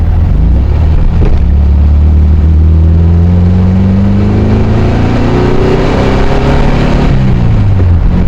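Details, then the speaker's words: 1968 VW Karmann Ghia with a new 1600cc dual-port engine on a road test, timing advanced slightly: smooth flat-four drone rising steadily as it pulls through the gears, no knocks or misses; normal running under load. "spec sounds good [Music] sounds good it's pulling the way I'd like it too now"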